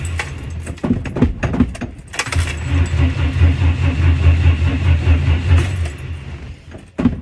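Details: Temperamental 1959 Ford Consul, almost always hard to start, with heavy pedal pumping. Loud, uneven starter churning at roughly two beats a second, no catch. Hard starting with prolonged cranking. Cause unconfirmed.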